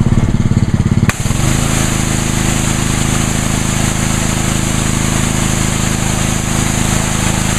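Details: Brand-new Ryobi 3100 PSI pressure washer, 91-degree day, test washing the patio with water only, 25-degree nozzle; engine steadies into an even drone with spray hiss, pulling the pump smoothly with no misses.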